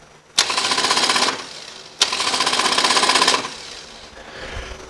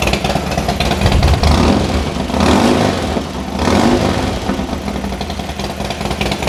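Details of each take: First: 2006 Harley-Davidson Dyna Street Bob, pressing the starter button: two one-second bursts of fast high buzzing whir with no cranking; starter spins freely as the compensator slips, something stripped inside the primary. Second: Harley-Davidson Dyna after a loose compensator bolt, suspected of slipping and causing a strange starter noise, was removed and refitted: the V-twin fires straight up, blips, and settles to an even, loping idle with no starter clatter; normal start and idle after repair.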